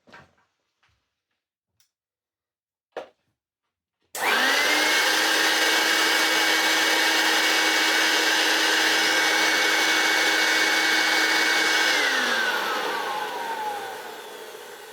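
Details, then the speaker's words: Hoover Turbopower U2798 vacuum's newer-style motor run with no bag fitted; spins up to a piercing whine with hollow rushing roar, then coasts down; runs but sounds horrible and worn, a high-pitched motor whine. "But it runs. It actually does. It's not the worst running turbo power motor I ever heard. It is however a horrible sounding turbo power motor because it's a bit more modern."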